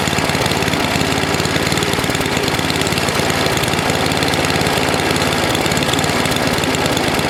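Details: NOMA 8hp snowblower engine with the plugged gas line blown clear, warmed up for an oil change: quick, even popping at steady speed with no misses or stumbles. It runs smoothly.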